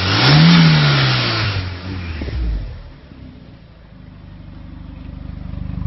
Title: VW 1.9T first proper run without misfire :)